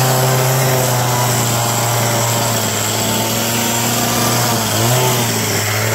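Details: Abandoned roadside two-stroke hedge trimmer, revived with parts on hand (crusty fuel lines, disintegrating air filter addressed, mixture screws to be set with filter in), cutting a hedge: steady high buzzy note with slight dips as blades bite; noisy, vibrates, dull blades, but runs well for its age.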